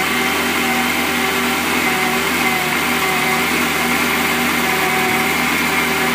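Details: Ferrari 360 just after a cold start: loud busy idle with hissy top end and slightly uneven hum; rough cold idle.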